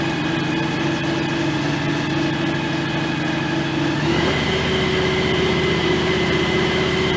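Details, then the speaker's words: John Deere X738 tractor running during its 50-hour service; steady, even engine drone stepping up slightly in speed, with no whine, running fine. "I don't know. It sounds like it runs fine. Doesn't sound like it's anything's whining or anything like that."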